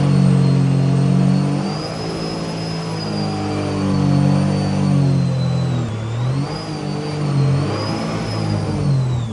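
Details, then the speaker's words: 300hp supercharged 12ft aluminum mini jet boat after the worn wear ring was replaced, with a dual prop: smooth pull through rising and falling revs, clean supercharger whine; it previously vibrated badly and rattled. "And wow, it's so smooth now. It used to vibrate really bad and it's so much quieter."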